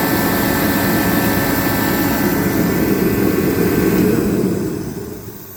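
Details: A Pro 80,000 BTU kerosene torpedo heater, unused for years, is firing after a fuel line fix; steady burner and fan roar tapering at shutdown, with pump pressure about 4.2 psi versus the 3.8 specified.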